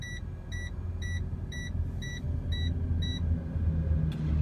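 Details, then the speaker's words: Flatbed truck idling at a rest area: short high double beeps about every half second over a low idle rumble, the first low-battery warning after the heater, TV and microwave ran overnight. "i don't know if you could hear that beeping in the background but what that beeping means is that my batteries on the truck um are at a point there it's my first warning that the batteries are getting low"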